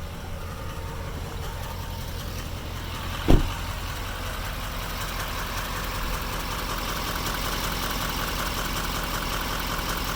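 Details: 2016 GMC LML diesel pickup, full delete, idling: fast light clicking knock over normal diesel clatter, hard to hear from above; injector cleaner already added; cause unknown.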